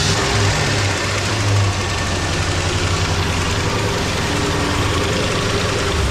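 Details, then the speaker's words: 1970s Lincoln Continental sitting 25–30 years, first run revived; steady even idle with low drone and belt slapping against power steering; engine sounds healthy, needs fresh oil and filter. "this thing is healthy he get some fresh oil and a filter in there"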